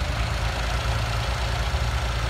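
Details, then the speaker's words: Car (Melbourne, Australia) converted to run on petrol vapour via a homemade bubbler feeding the air intake, idling: deep low idle with an uneven, lumpy, wavering beat; idles a little rough and needs turning up, owner holding the accelerator. "like I said idles a little bit rough and it once still you know be turned up a little bit I'm just holding my foot on the accelerator but it works"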